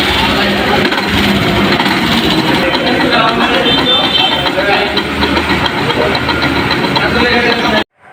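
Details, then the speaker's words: Yamaha Saluto motorcycle, noise appearing suddenly while riding: uneven metallic knocking clatter from the single. Inside the magneto rotor, two nuts were found broken and one completely loose, causing the loud noise. "আরেকটা nut সম্পূর্ণ loose হয়ে গেছে। যার কারণে engine থেকে বিকট শব্দ হচ্ছিল। রানিং অবস্থায় এই সমস্যাটা দেখা দিছে।"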